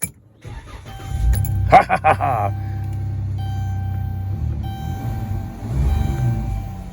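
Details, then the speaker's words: 2012 Dodge Caravan after replacing the ECU, which fixed it (TIPM, WIN and fuel pump also replaced). A brief crank of a few strokes, then a smooth, even idle with no misfire or knock; normal start and idle. "all right guys um I guess it works uh that's it for this project all right that's it it's fixed"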